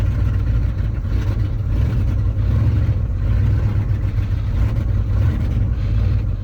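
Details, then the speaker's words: Ford F-250 with 390 V8, about 180k miles, cold Iowa start after sitting six months: deep steady rumble at fast idle with a slightly ragged uneven beat; running lean while warming up. "you can do it little buddy man she is lean lean lean but she's running"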